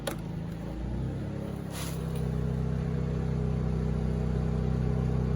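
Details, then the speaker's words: Honda EU2000i generator after refitting carburetor with gaskets correctly placed (had been reversed, causing stumbling under load): running 10 minutes powering a 1500 W heater, steady even hum, no hunting or surging; smooth under load. "got the heater going generator even seems to be running way nicer for sure not choking itself out it's even going about 10 minutes now"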